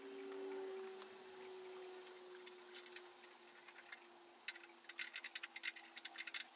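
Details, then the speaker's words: BSA motorcycle petrol tank being refurbished, turning on a mixer: irregular hollow clunks and rattles from a large loose cup of fiberglass resin inside the tank, too big to remove through the filler hole. "the clunking noise you can hear is a big cup of fiberglass resin that's still inside the tank that's come loose"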